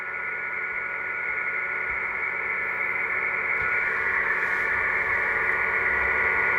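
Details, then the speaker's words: Kenwood TS-450S receiver: a steady hiss with a fixed whistling tone through the speaker, whose amplitude drops when the RF board is pressed down. Sensitivity checks fine. Internal birdie; cause suspected, not confirmed. "you can hear the speaker the noise watch the amplitude watch the tone when I squeeze down this board the RF"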